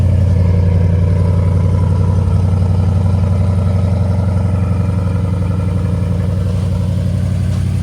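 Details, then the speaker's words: 1980 Triumph TR8 V8 on its first cold start after long winter storage. A low, steady idle with a slightly uneven, loping pulse; it runs a bit cranky and needs to warm up. "She was a little cranky, but we'll let her warm up."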